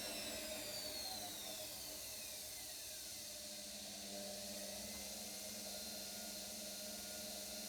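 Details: Brand-new brushed-motor washing machine running an empty spin cycle, not level, rated 80 dB spinning: quiet steady motor whine with a faint sliding tone; noise possibly just from being new, cause unconfirmed.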